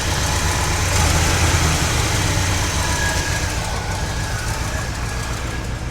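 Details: 1969 GMC truck, small-block V8, restarted after loosening the alternator: even, steady idle with a smooth low rumble and no squeal or knock, noticeably less noise than before.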